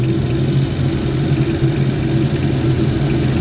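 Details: 2011 GMC Terrain with past P0341 cam code, warm after 20-mile drive while cam wiring is wiggled; no dropout, only P0420 remains. Smooth, even low idle, no misses, stumbles or ticking; normal.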